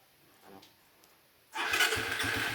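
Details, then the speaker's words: Single-cylinder motorcycle with 28 mm Keihin carburetor; it used to bog on throttle and hard-start when hot. Silence, then a single clean start into a steady, even idle, warm after a test drive. It now starts normally on one click. "Tapos dati pagka mainit yung makina ayaw umandar maghar start pero ngayon okay na kasi kanina pinainit namin to tapos test drive test drive tapos mainit na one click pa rin naman okay na"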